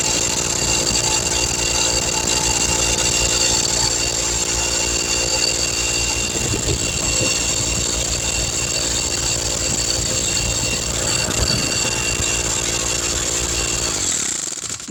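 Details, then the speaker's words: 20-gallon Husky air compressor after repair of a rattling fault: steady, even motor-and-pump drone with a constant hum for about fourteen seconds, builds air pressure, then shuts off cleanly. "Yeah, I apologize about the noise. As you can see, it built up air pressure."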